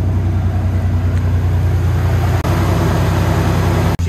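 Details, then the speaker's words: 2003 Toyota Tacoma, 393,000 miles, after new valve cover gaskets and reconnecting the injector harness for cylinders 2, 4, 6: steady, even low idle, smooth beat, no misses or knocks; no leaks. "yeah she's running under her own steam no leaks"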